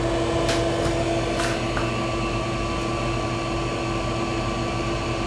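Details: Amiga 2000 with Fusion Forty 68040 accelerator, first power-on after many years unused. Steady fan rush, constant low hum and thin whine, a few light clicks at start, then even and settled. Healthy power-up.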